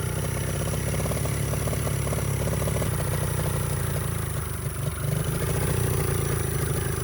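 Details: 49cc mini bike with neglected carburetor being rebuilt: little single keeps racing at a fast, even putter and won't come back down to idle despite throttle screw unscrewed. Owner suspects air intake; cause not confirmed.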